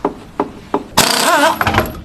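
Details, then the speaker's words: Left front wheel knocks over bumps despite new shock, lower arm and sway bar links; simulated fast speed bump gives three sharp knocks then a rattling clunk. Worn, loose brake caliper guide bolt, packed with copper shim and grease. "这是分泵固定螺栓磨损引起的。"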